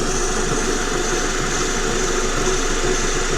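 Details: Vehicle with a roaring noise only while driving, front axle lifted: engine hums steadily while the raised front wheel spins on its CV axle, and that wheel bearing runs smooth with no growl or grind; normal wheel bearing.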